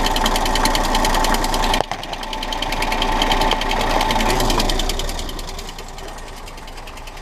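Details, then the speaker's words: Smart car engine just topped up with oil, heard from below the car: fast metallic rattle about three ticks a second over a rough idle; source not yet pinned down. "he's a shot the rattle is best heard from underneath"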